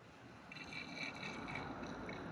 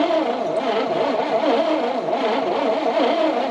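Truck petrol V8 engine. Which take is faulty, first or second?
second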